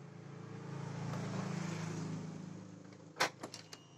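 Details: Honda Beat injection scooter with no fuel pump or coil spark, blown fuse replaced (ECU not needed): low electric hum builds and fades for a couple of seconds, then a few clicks; fuel pump primes normally.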